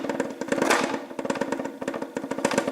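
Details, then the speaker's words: Moped body panel shaken by hand: quick irregular hollow plastic clatter in bursts; panel has play on hard plastic nibs over a metal frame tab where rubber grommets would stop the rattle. "ich hier dran rüttle, vibriert es bzw. es klappert. Und solche Geräusche dürfen natürlich nicht sein."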